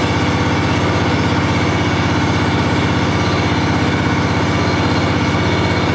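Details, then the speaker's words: John Deere 757 mower idling after first start of the year, having sat since last fall, fresh gas, owned since new: steady, even low rumble with no knocks or misses; runs cleanly. "fired right up guys I have to say that I really have no complaints with this mall or whatsoever it's been a really good more"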